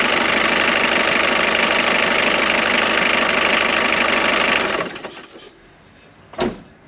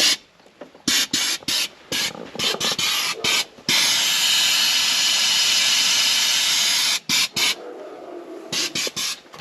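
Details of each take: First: Jeep Cherokee XJ 2.1 TD diesel on a temporary hose fuel feed: it clatters steadily for about five seconds with no stumbling, then is shut off and dies away. It runs fine, and the diesel return line is not blocked. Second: Jeep Cherokee XJ 2.1 turbo-diesel: 10 bar of air blown through the blocked diesel feed line from the tank; short sharp hiss bursts, then a long steady rush as the clog lets go. Confirmed clogged fuel line.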